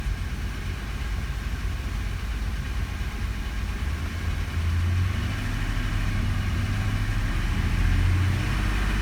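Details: 1984 Porsche 928 Euro S V8 misfiring at 1900 rpm though idle is fine; low steady idle rises to fast idle where the beat turns uneven and stumbling.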